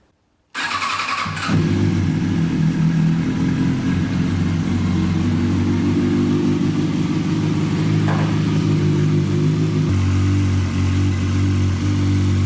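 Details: 2005 Kawasaki ZX-6R inline-four that had been running on three cylinders after a trackday, test start after repair: cranks, catches quickly and idles evenly, with all four exhaust headers warming, so all cylinders are firing.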